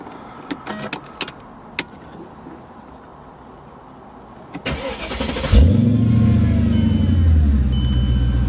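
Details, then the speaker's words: Mercedes CLK55 AMG, not fully cold, after a fuel system service to cure hard starting that took three tries: a few clicks, then a quick clean crank into a smooth steady idle. The fix is not yet confirmed. "H definitely seem pretty happy starting up so more testing is the only way to know"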